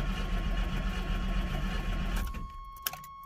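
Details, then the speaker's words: 1988 Chevy S10 Blazer Sport 2WD junkyard truck, fuel pump primed, third of a tank: slow, labored, slightly uneven cranking, roughly four turns a second, never catches even with gas splashed in the throttle body; crank no start, cause unconfirmed. "crank no fire easy way to check that is to splash a little gas in the throttle body see if it hits off that tells you you've got good ignition"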